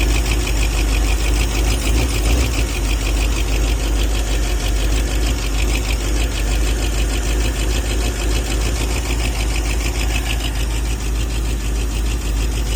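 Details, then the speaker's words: 1978 Ford F150 at idle after the sheared distributor-gear roll pin was replaced and it was restarted with oil pressure confirmed: a rough, uneven idle with a rapid tapping knock about three per second; the engine is very unhappy and the noise's cause is unknown. "She's obviously very unhappy. And I'm surprised it's actually still running"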